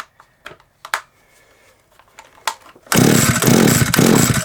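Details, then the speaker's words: SGS Engineering 26cc two-stroke strimmer: several pull-cord strokes, then a short rough burst of firing that dies at once; it cranks but won't start, and the owner suspects no spark. "nope no spark baby let's get this off and see what's under here it fired though didn't it it did fire so we know we was close"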